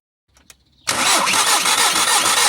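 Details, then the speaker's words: 2004 VW Golf TDI diesel, crank no start on jump pack, intake flap fault code stored: fast, even crank with no compression pulses and no catch; timing belt found broken, not rotating while cranking, though a stuck-closed flap sounds the same. "it is a broken belt so that's the same sound this is the belt isn't rotating when you're cranking it so the belt's broke"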